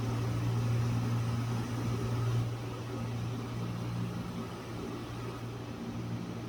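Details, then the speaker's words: ILG Model 183 fan with new bearings, after a preload spring washer was added between the front end bell and the front bearing. It now runs with a smooth, even low hum; without the preload it rattled. "here is the 183 from before but this time i have installed a preload spring um between the front end belt and the front bearing and we will see what kind of improvement we've got"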